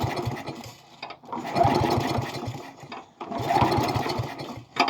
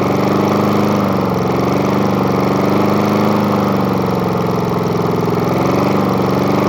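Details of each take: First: Murray lawn mower with spare replacement engine, last mowed in 2019, primed: three bursts of uneven starter cranking, engine never catching; turns over but won't start, cause unknown. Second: Murray lawn mower with spare replacement engine, started after repeated priming: single-cylinder holds a steady, even chug about three beats a second with no misses; runs normally.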